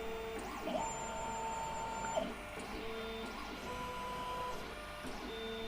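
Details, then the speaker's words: BCN3D Sigma R16 dual-extruder 3D printer running full calibration, a sensor on each extruder probing the build plate, left then right: short motor whirs broken by soft clicks as the probe touches down; normal bed-leveling. "I hope you can hear it, but it's clicking. So it went with the left extruder, now it's doing the right extruder, checking out where everything is."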